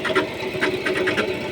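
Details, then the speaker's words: Chrysler 300 engine: light quick ticking about five a second rides steadily over the running engine; top-end tick, cause undetermined, owner says it is common and easily fixed. "сам алейкум Лер 300 город Махачкала 35 двигатель шум появился кто сталкивается с такими шумами можете комментарии писать"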